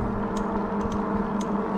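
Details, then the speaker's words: Ecotric e-bike: sharp light clicks at uneven intervals, roughly twice a second, over steady motor hum, only with pressure on the left pedal; owner suspects the left pedal. "if i just pedal with my right foot you don't hear the clicking as soon as i throw the left foot on there you hear the damn thing"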